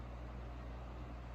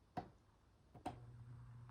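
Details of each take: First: 1983 Crown 12-inch oscillating fan, initial test run on low: soft steady hum with faint airy rush, no ticks or rattles; shortly after, it shut off by itself and failed on medium. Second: 1983 Crown 12-inch oscillating fan, initial test: switch click, steady low mains hum about two seconds, no spin-up; bearings are free, owner suspects the capacitor isn't reaching the motor circuit, possibly an open circuit. Motor hums but does not start.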